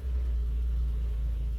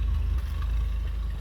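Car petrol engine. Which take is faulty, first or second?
first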